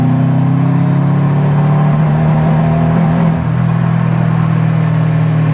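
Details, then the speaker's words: Subaru engine freshly reassembled and installed, on 92 octane fuel; deep drone under hard load pulls fine to 10 psi boost then chugs and cuts out, check engine light flashing; misfire under high boost, cause suspected, not confirmed. "oh I don't know if you could hear that it was fine all the way up to 10 psi and then above that it started to like chug or whatever and then it cuts out"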